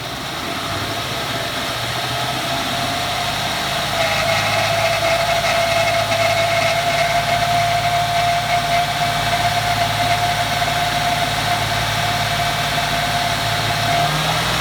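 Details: 2014 Ford F-150 4x4, hood open, phone set down, revving in place: thin steady high squeal holding while revs stay up, like nails on a chalkboard; first only when cold, now constant; undiagnosed.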